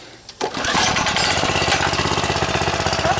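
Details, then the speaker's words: Tecumseh OHH-series engine in a Lil Critter go-kart, hot, after a full tune-up with new carb, fuel line and plug. Fast, rough chattering run about four pulses a second with a rattling edge; the owner believes the clutch is bad. "I can hear the clutch is going out."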